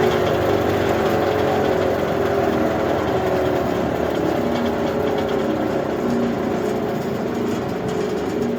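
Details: Liberty 3-point tractor wood chipper, being repaired for a noise: smooth, even whirring hum with the engine off, slowly fading as the heavy flywheel coasts down freely; sounds healthy.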